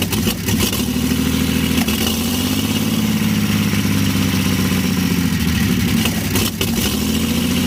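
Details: 1952 Chevy engine restarted after refitting the fuel pump ground wire, which had caused the earlier stall, running on gas with a little oil mixed in; steady, even, smooth idle with no misses or knocks.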